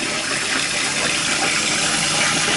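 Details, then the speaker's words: Toilet cistern after replacing the float valve diaphragm washer, which fixed months of loud noise after flushing: steady hiss and rush of water refilling the tank, with no hammering or humming. Normal, quiet refill. "no noise at all all you can hear is the water filling up"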